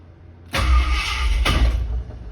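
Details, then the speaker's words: Ford Torino with headers, starter before replacement: short harsh whirring crank with a second jarring hit as the Bendix starter gear kicks back out instead of holding; intermittent, happens often. "The Bendix, or the starter gear, kicked back out. See? This is what I deal with on a daily basis."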